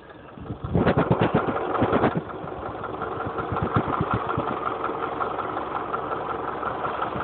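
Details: Honda CR-V engine at steady idle with sharp ticking knocks, roughly three per second and not perfectly even; engine knock, cause not yet known.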